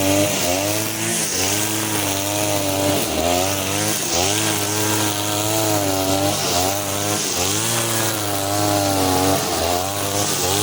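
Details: Side-mount two-stroke brush cutter on the blade carburettor setting, cutting short grass with nylon line: a high buzzy drone that sags and wavers, never pulling hard. The mixture is too lean for line and starves power; a half-turn mixture-screw adjustment follows.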